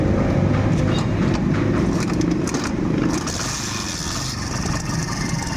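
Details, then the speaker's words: Kawasaki Barako 175 single-cylinder, engine noise persisting despite new block, idle gear and kick gear: loud uneven clattery rattle over the exhaust beat, traced to the carburetor piston/slide rattling in its bore. "Ayan, ang ingay po ng makina niya mga brothers oh. Kaya, tingnan nyo, maririnig nyo po ingay oh."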